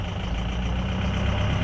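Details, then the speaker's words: 2004 Ford F-350 6.0 Powerstroke diesel at full throttle: low, uneven drone with no climb in revs, cylinders 6, 7, 4 and 1 negative on contribution, running on four cylinders; failed FICM injector control module. "it sounds like an old tractor so six seven four and one are all showing negative on the contribution"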